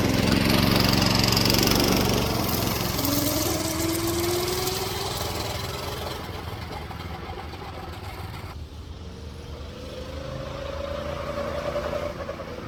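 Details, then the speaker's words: Go-kart small single on fresh fuel, kart driven: even buzz rising and easing with throttle, no knocks or rattles, not throwing the chain; runs fine, though owner suspects fuel in the oil. "oh it works so that means let me turn this crap off all right so the it all works it's not throwing the chain it's not it doesn't sound bad"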